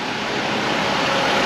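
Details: 2010 Ford Escape XLT 2.5 idling after its codes were cleared, with the purge valve being checked. Even, smooth idle hum; the purge valve clicking can't be heard over the engine and no ticking or misfire stands out. The engine sounds healthy.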